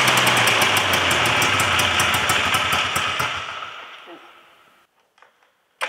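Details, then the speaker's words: Yamaha Phazer 2 snowmobile, two-stroke, carbs reset to factory settings and fresh gas: rapid crackling pulses that sag and fade almost out when throttle is given; bogging. "all right so it starts it uh doesn't like me giving it throttle but it starts"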